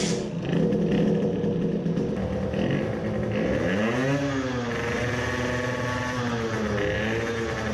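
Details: 50cc two-stroke racing moped on the dyno: high buzzing note sweeps cleanly up the revs with no misfire, a healthy full-throttle pull, though it measured only 10 hp versus 10.8 hp earlier with the same parts and jet.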